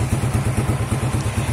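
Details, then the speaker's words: Honda Revo motorcycle started after replacing the old, broken, holed exhaust with a new one. Steady even low thump about seven or eight beats a second, smooth with no rattle or blowing; normal exhaust note. "Hai halus suaranya pengusaha warnanya halus Oke ya udah cantik pokoknya Grand teman-teman"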